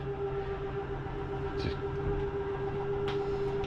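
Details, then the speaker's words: 2022 Jayco Jay Flight Bungalow 40LOFT: kitchen/entertainment-side slide-out retracting. A steady mid-pitched motor drone turns rough as the slide bottoms out fully in. This is normal end-of-travel noise if the button is released promptly. "i want you to hear that noise that is nothing grinding that is just a slide mechanism telling me i'm in all the way"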